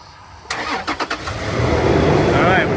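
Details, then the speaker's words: Toyota 4Runner after about 4.5 hours of maintenance including new Denso SK16HR11 spark plugs, coil packs and belt refit, heater on to bleed coolant: short cranking, then catches into smooth steady idle with no belt squeal; normal start. "right, we got the belt on right. That's good. All right, you put the heat on right. Nice. Started right up."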